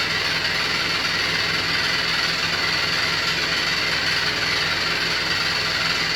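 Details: New Beko WY124PT44MW 12Kg washing machine, 3rd or 4th use, light load: loud harsh uneven rattle throughout the wash; installer left a transport bolt in and foot lock-nuts unset, drum moves too easily.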